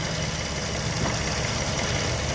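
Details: 2004 Toyota Sienna after water pump and timing system reinstall: even, steady idle with low smooth drone, no knocking or misses; engine relearning its position and settling into normal idle.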